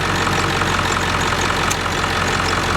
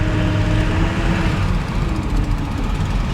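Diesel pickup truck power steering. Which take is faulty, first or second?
second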